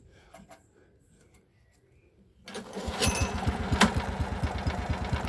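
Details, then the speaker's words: Ransomes Marquis mower with Kohler engine: after a quiet pause the engine catches and settles into an even, steady low thump with no knocks or misses; healthy idle, purring. "Listen to that. Listen to it purr."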